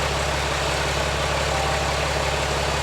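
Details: Peterbilt 379 project truck with Cummins diesel just after first start-up, at idle: deep even diesel idle with steady low rumble, no knocks or misses; engine running smoothly.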